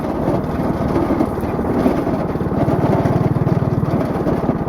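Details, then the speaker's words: Go-kart, warm, after new valve stem, driving on road: small engine running hard with fast rough buzzing pulse and shaky rattle underneath; owner says the axle is vibrating a lot. "well I drove real good although you can definitely hear that axle vibrating a ton"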